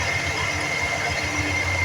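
Smooth, even cold idle with a faint steady high whine from the air pump over the engine; nothing abnormal heard.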